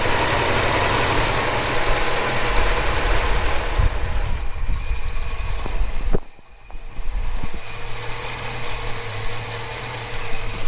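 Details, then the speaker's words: Holden HK petrol engine after an exhaust manifold leak repair: steady, even, quiet idle with a low rumble and no exhaust leak, water leak or power steering pump rattle. "Oh, beautiful. Oh my God. Oh, no water leak. No exhaust manifold leak. No power steering pump rattle. Oh, she sounds good."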